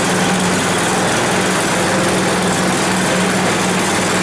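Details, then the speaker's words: 10 HP Tecumseh Yard Machines snowblower, long unused, warming up: fast coarse uneven buzz that wavers; rough running, better on half choke, dirt in carburetor suspected needing cleaning. "so i'm not super happy there so it's not super happy so uh looks like there's some more stuff in that carburetor that needs to get cleaned out to make it run a little better"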